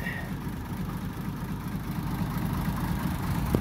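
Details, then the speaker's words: Original, never-rebuilt 1937 Plymouth Coupe six-cylinder, about 64,000 miles, rebuilt carburettor, idling on choke while warming up: low, fairly steady soft beat, slightly lumpy but healthy. "listen to that thing per listen to that that is original I don't think that engine has ever been apart and it's got to warm up a little bit I know it can run a little bit smoother but uh there it is"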